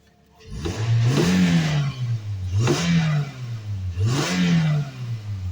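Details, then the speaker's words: 2010 Toyota Matrix at 164,107 miles, no codes, after a full suspension, driveline and tune-up overhaul (plugs, coils) and an occasional start-then-stall on battery connect. Three clean throttle blips rise and fall smoothly with no knock or rattle; the engine sounds normal and healthy. "Oh, listen to that smooth running little P thresher. She's happy."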